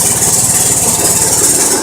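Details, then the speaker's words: Homemade 12V generator, small engine driving alternator via new 4" pulley (was 2.5"), at idle feeding 20 amps to batteries through PWM controller: even idle with steady hiss, no misses or knocks; normal idle. "And it's putting 20 amps to the batteries at idle,"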